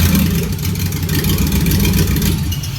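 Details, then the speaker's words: 1956 Ford F-100 with LS V8 swap starting in neutral, neutral safety switch working; catches and settles into a steady, deep, even rumble with no misses or knocks; normal engine start. "so that's one benefit of having that neutral safety switch which i think is pretty cool and it's really easy to wire up"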